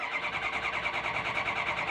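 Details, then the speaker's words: Ford F-350 6.0 diesel cranked on a NOCO GBX155 jump starter in override with no batteries connected: quick even starter whirr, about seven compressions a second, spinning over briskly; healthy fast crank. "still super fast like this thing's just spinning over really fast try it again"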